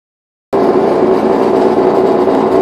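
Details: New LG LFC20786 refrigerator just plugged in, starting into a loud, steady, rough buzzy drone like a motocross bike; abnormally loud running.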